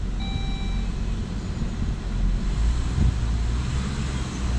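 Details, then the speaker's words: Saab 9-5 petrol after fuel filter replacement, very slow start while fuel pressure built: low steady rumble, slight rev lift, then settles evenly with no stumble or misfire; idling fine. "it's idling good"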